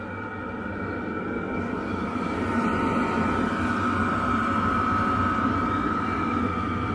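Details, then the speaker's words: Chinese diesel heater with new low-noise fuel pump, fully up to speed: steady fan roar with constant whine, pump's soft ticking about four per second well below fan; normal running, little advantage over modified original pump. "Actually pretty low in comparison to the actual fan noise. It is there. I'm not sure there's a big advantage between the two, if I'm honest, at this stage."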